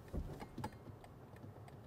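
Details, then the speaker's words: 2025 BMW iX1 eDrive20 Sport Line, indicator heard in a quiet cabin: dry, relay-like clicks steadily about three times a second; ordinary turn signal ticking, though the relay-like sound is disliked. "Bak mesela beğenmediğim bir şeyi söyleyeyim mi? Şu ses var ya çıt çıt çıt çıt."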